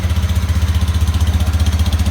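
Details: Used 2018 Honda Beat automatic scooter with 16,400 km, checked when buying: low, even idle pulsing about eleven beats a second with no rattle or clatter that would suggest CVT trouble; normal idle.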